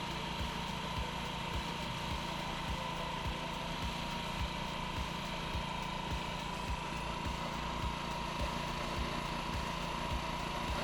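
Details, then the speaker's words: Honda Ruckus scooter with a replaced carburetor and new fuel line, cold start: small single puttering at a quick, slightly uneven fast idle that eases down as it warms. "what I need to do is warm this guy up and see how it does after the idle comes down so let me roll this bad boy out on start got to hold the brake as you start all right so the reds are backing down"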